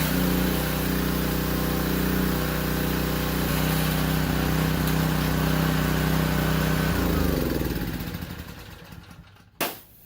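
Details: Discontinued Powerstroke 2200 PSI pressure washer after carburetor cleaning, water hooked up, spraying under load without choke: small single-cylinder engine surged slightly, then held a steady even beat once warm, good pressure, no stumbling; normal running.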